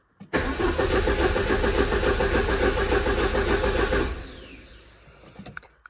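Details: 1985 Porsche 944 that stopped running, diagnosed using the DME test plan: steady starter churn around three and a half turns a second for almost four seconds, never catching. Reference and speed sensor outputs were checked while cranking; crank, no start.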